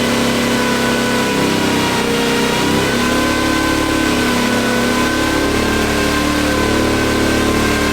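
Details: Off-road wrecker V8 on a stopgap exhaust, warming up with no load: steady, even note with small throttle blips and no misses. Reversed sensor wiring that gave a bad RPM signal has been corrected, the engine is self-tuning and all cylinders are thought to be firing.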